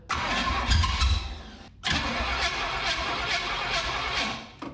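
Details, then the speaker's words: 1967 Firebird abandoned about 15 years, fed fuel by squeeze bottle into the carburettor. It fires and revs about two seconds, then dies, catches and fades again. Fuel starvation or a poor air-fuel mixture is suspected. "she needs fuel she sounds like she's running when she's running I don't know if maybe she just ain't getting enough fuel"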